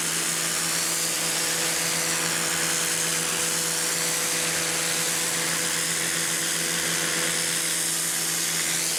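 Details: Campbell-Hausfeld PW1835 1800 PSI electric pressure washer, universal motor, new: constant high whine with steady hum underneath, no surging or rattling; motor runs normally, owner feels pressure more like 1300 PSI.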